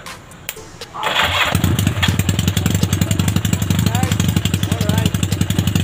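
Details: Yamaha Maxim XJ750 on its first engine run after rebuild, carb overhaul and ignition bypass wiring: catches after a brief crank and settles into a quick, steady exhaust patter with no knocks or misses. Normal running.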